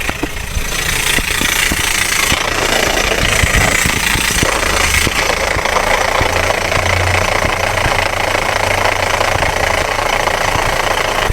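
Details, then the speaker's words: Steady idle with a constant metallic whirring rattle unchanged with revs, traced with a listening hose to the starter motor area; first thought to be a bearing; starter drive gear (bendix) noise. "If you could notice it, the noise comes from The starter engine or close to it"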